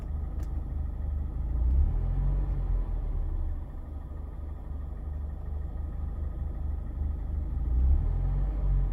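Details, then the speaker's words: 2019 Mazda Miata ND2 in limp mode with smart city brake malfunction and misfire, idling with no pedal input: the idle rises and falls every few seconds, a low rumble swelling and sagging, surging over and over. "The idle is just surging over and over."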